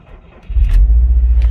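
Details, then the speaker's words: Salvage 2011 Subaru STI, 170,000 km, engine rebuilt about 20,000 km ago after a spun bearing, battery charger attached; short crank catches into a steady, low, even idle, no knocks or ticks; clean start, healthy idle. "it starts up. Oh, baby. So nothing has exploded yet. That's a good sign. No weird smells. No weird sounds."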